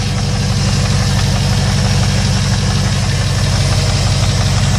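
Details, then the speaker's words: 2001 Jeep Grand Cherokee 4.7 V8, cold start after three months sitting: loud, raspy idle with strong steady exhaust pulses and open blat; exhaust leak, muffler hanging because its clamp broke. "and the reason one of the muffler's thing because the clamp broke and this thing was kind of abuse"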